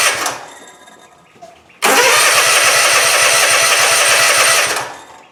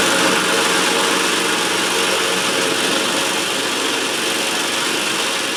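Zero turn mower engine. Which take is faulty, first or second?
first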